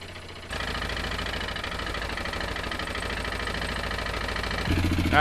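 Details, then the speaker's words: 2016 Yamaha Wolverine 708 run out of oil, topped up with two quarts (holds about 2⅓): a rough, uneven clatter over the idle and when revved; top-end damage suspected, possibly the camshaft eaten, unconfirmed. Abnormal engine noise after oil starvation. "I think we got to tear apart the top of the engine to me it sounds like something in the top I wonder if the camshaft's just completely eaten or something"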